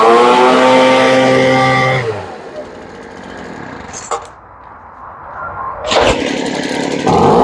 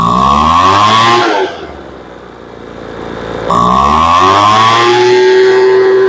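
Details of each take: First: Poulan Pro two-stroke leaf blower that wouldn't start after sitting (wouldn't pull gas on priming, suspected carburetor air leak), after carburetor work and adjustment, started unchoked once cooled: snaps cleanly to a high whine, drops to a smooth idle, revs crisply. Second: Poulan Pro two-stroke blower that would not start after sitting; no fuel was drawn on priming and a carburetor air leak was suspected. Its carb L screw is being adjusted in 1/8-turn steps. It revs to a scream, but pickup after each blip is still lazy.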